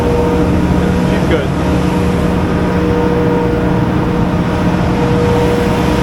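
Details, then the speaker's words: Diesel generator running after air in the fuel was fixed by tightening a fitting, filling both filters and priming: steady, even drone with a constant low hum, no misses, knocks or surging; normal running. "So, I tightened that up, made sure both filters were full, primed it, and uh now she runs."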